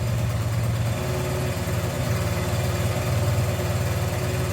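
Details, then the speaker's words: 1981 Honda XR100 single-cylinder after valve adjustment, cold start after sitting for weeks, first kick at half choke: settles into steady, even idle with smooth low beat, no knocks or misses; normal healthy idle. "Oh. How about that? First kick. Of course it did stop, but that was my fault. It didn't even need full choke."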